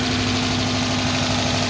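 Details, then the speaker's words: 2011 Dodge Charger PPV 5.7 liter V8, idling about 30 minutes warm: steady even tapping seemingly from top end plus steady misfire and loping beat, unchanged since start; side unknown; engine tapping and misfire. "This one has a 5.7 liter V8 that sounds rough. The motor has a steady tapping sound."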